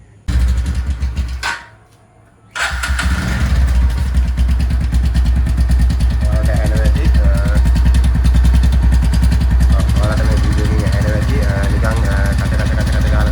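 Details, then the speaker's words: TVS Ntorq scooter engine, after an earlier starter clutch repair, catches after a short crank, then idles with an uneven rough pulsing beat; owner says it is not the starter clutch this time and suspects the head or engine. "දැන් ඒක හදලත් ආයෙත් මේ එන්ටෝක් එකේ engine එකේ සද්දයක් එනවා ඒ සද්දේ තමයි අද ඔයාලට මොකද්ද කියලා පෙන්වන්න යන්නේ"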